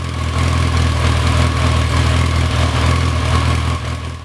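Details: Motorcycle with non-original carbs, cleaned and pilot screws removed, before tuning with a wideband O2 sensor: deep idle with a loping, uneven pulse about four per second; pilot screws out of tune, one cylinder lean.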